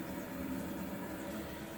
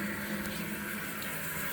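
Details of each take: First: Kohler toilet with a Fluidmaster 400 fill valve: a steady water hiss with a few gurgles, easing after about four seconds, as the tank keeps refilling; a leaking fill valve seal is suspected. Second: Kohler toilet with a Fluidmaster 400 fill valve, supply valve reopened about a half turn: a steady, even hiss of water filling the tank through the fill tube with no sputter or whistle, a normal refill.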